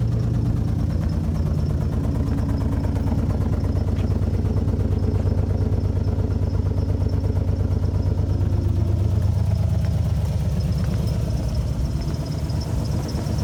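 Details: Alfa Romeo GTV V6 started after months parked: low, uneven idle loping about three beats a second and rough revs, like a cylinder missing; misfire suspected, unconfirmed.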